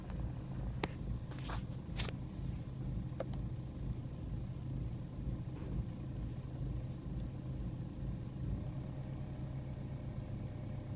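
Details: BMW E46 320d M47N diesel idling, quieter once at operating temperature; MAF, vacuum parts, hoses, filters replaced, EGR blocked, swirl flaps removed: low uneven idle with irregular lumpy pulse about once a second; rough idle, cause unknown.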